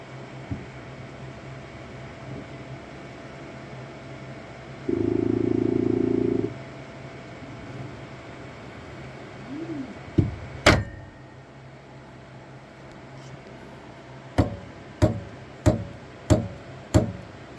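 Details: Saturn Ultra 4 16K resin printer: sharp, loud knocks about every two-thirds of a second over a quiet hum when a print starts, as the platform keeps rising before it resets and begins printing.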